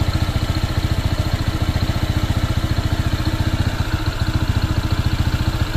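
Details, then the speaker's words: Honda PCX 160 scooter, new and not yet broken in at about 38 km, with a steady low idle thrum pulsing near 3.5 a second; an extra noise persists at idle, and the owner suspects it needs break-in. Cause unconfirmed. "Ay hindi hindi nga oh may tumutunog pa rin"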